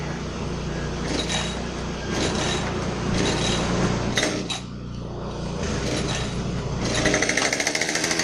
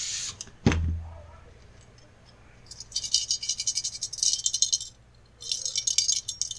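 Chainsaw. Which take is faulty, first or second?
second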